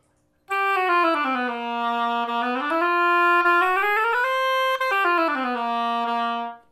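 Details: Oboe after adjustment, with the B-flat adjusting screw tightened slightly, tested on the reed in the upper register. A clean, stable tone slides smoothly between notes with no buzzing, leaks or key noise. The instrument plays well.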